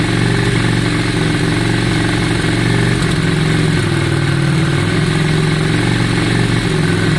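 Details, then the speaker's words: 2002 Yamaha Virago V-twin after carb cleaning and fuel tank clean, fuel primed back through: steady, even idle with deep low thump, no misses or stumbles; idle up and sounding much better, air fuel screws and balancing still to check. "Yeah, it does seem better. Yeah, it sounds much better. Much better. Sounds much better, guys."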